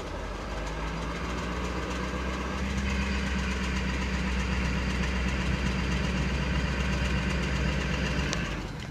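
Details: 2014 Ford F-350 6.7 diesel with 7,500 miles at idle: deep steady idle with a faint quick tick, about four per second, underneath; ticking present, cause unknown.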